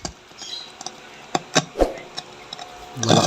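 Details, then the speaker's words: Amplifier makes irregular scratchy crackles and pops when the volume knob is turned; the volume potentiometer is worn and noisy. "Magandang araw po mga parts ito may gagawin tayong amplifier sa araw na ito angya niya ay maiingay siya pag pinipihit itong m volume garalgal"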